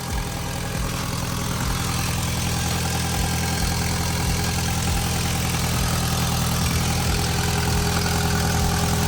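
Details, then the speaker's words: Cheap Audi TT restarted after rocker cover oil leak repair with RTV: even idle with a rhythmic puffing chuff, three or four a second; exhaust leak blow getting worse. "that blow on the exhaust sounds like it's getting worse"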